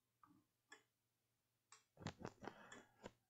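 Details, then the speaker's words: ESP32-driven relay module, microphone held near the relay: crisp single ticks then quick clicks as the relay switches on and off; normal relay operation. "now I'm going to take my microphone near to the relay you may hear the sound of ticking clearly"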